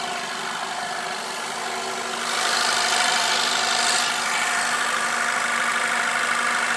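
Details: VW 2.0T at idle: steady thin whirring hum with a brief hiss swelling midway; noise intermittent over the vehicle's life, dealer heard nothing, others suspect a failing water pump; unconfirmed.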